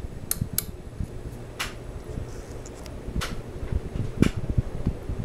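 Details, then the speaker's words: Mid-1980s Sears Kenmore/Lasko 52-inch five-blade ceiling fan, likely CEI motor, on high speed: low steady rush of strong airflow with soft even hum and few stray light ticks; amazingly quiet, running smoothly. "very powerful strong airflow from a fan that is amazingly quiet"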